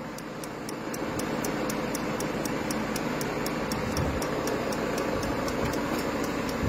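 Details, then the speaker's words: Peugeot 5008 diesel with replaced DPF additive tank, pump priming after ignition with no dashboard additive fault; light crisp regular ticks about three per second over a quiet hum; normal DPF additive pump priming. "voilà donc là on entend bien la pompe qui est en train d'amorcer"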